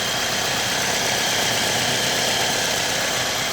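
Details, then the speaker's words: 2012 Mazda 3 just started on the first crank, not yet at temperature: an even, steady idle with a bright hiss and no knocking. The engine sounds fine during a leak check. "so it is running it doesn't sound bad but we may need to get it up to temperature and and see what we got going on"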